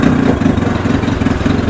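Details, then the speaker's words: Mikatsu 30 outboard after spun crankshaft splines repair, ignition timed by strobe, idling in gear with prop turning: steady, smooth low hum, no knocks or grinding; gearbox works, engine runs very well. "Винт крутится, редуктор работает. Мотор работает очень хорошо."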